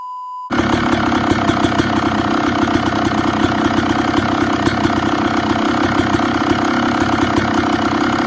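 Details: Yamaha YZ250 two-stroke enduro build, kicked over to test newly wired radiator fans: crisp start after short silence, settling into an even, rapid popping idle; sounds healthy, normal idle.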